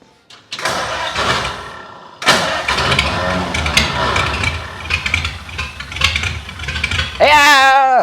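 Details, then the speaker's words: 1932 Ford project car with gas in the tank, clear fuel line and gas poured down the carburetor: the starter cranks in repeated bursts without catching while the fuel pump tries to pick up fuel from the dry system; no start yet. "we'll crank it over and see if the fuel pump will pick up some fuel"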